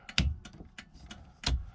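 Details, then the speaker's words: Car fitted with an NRG steering wheel ignition system, rewired for ignition power: crisp, even relay clicks just over a second per cycle as the turn-signal flasher cycles normally. "Let's see if this works. Yep, my signals do work."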